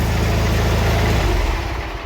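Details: Twin-cylinder mower after spring service and an oil change, with both cylinders now firing after the spark plug was disturbed. Loud, deep, even thrumming idle with no misses, running healthy while oil circulates; no leaks.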